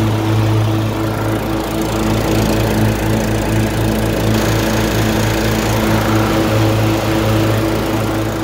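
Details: LT1040 riding mower after valve cover gasket reseal with silicone and pulley replacement: steady even single-cylinder drone, never misses, smoke gone; running healthy.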